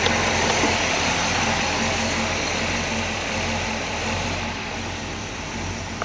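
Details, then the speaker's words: 1968 Pontiac Grand Prix big-block V8, revived after an estimated 15–20 years sitting: quiet, smooth, even idle with no knocks or ticks, great oil pressure. "it's almost too quiet but sounds good great oil pressure see it pumping like"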